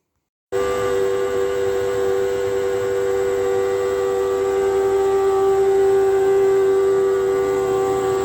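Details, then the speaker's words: Hotpoint NTM1192SKUK tumble dryer: loud, shrill steady whine from the faulty drain pump running dry with no water to pump out; fixed by replacing the pump. "but this one here I think develops a little bit of a fault so it's incredibly noisy when it gets uh to pump but it hasn't got any water to pump out it's pumping dry"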